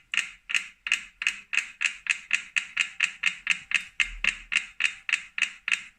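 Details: New 2018 Wahoo Kickr Core bike trainer: sharp, crisp clicks at a steady beat of nearly four a second with little else audible. Owner suspects a broken axle bearing or loose magnets, unconfirmed.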